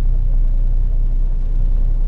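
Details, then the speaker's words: 1974 Valiant, now warmed and settled after a long-cranking cold first start in months, blowing a little smoke: deep, steady low rumble with no stumbles or hunting; normal warm idle. "this car is pretty like once it's happy it's it's pretty good at settling down"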